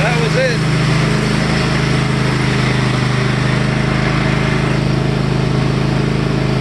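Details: Cub Cadet Enduro Series XT1 LT46 mower, owned about 3 years, after replacing a cracked starter: a steady, even single-cylinder drone with a smooth firing beat and no misses or knocks. Normal running after the fix.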